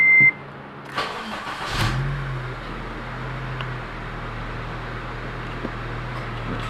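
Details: 2009 Honda Civic Si FA5 with the 2.0 i-VTEC engine gives a short warning chime and a brief crank, then catches and settles into a smooth, even idle with no odd noises. All warning lights work correctly.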